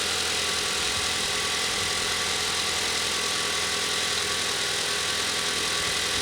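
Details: Car first started in almost three days during a battery test, hood open, charging about 14.8 V; steady, even idle with a smooth hiss and hum and no knocks or ticks; alternator good, normal idle.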